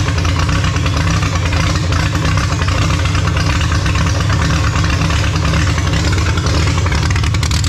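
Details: Holden grey motor six in a HAMB dragster with triple Stromberg carbs during carb synch: deep, uneven loping idle with no steady rhythm; big cam overlap means it won't idle below about 1600 rpm, pumping raw fuel out the exhaust.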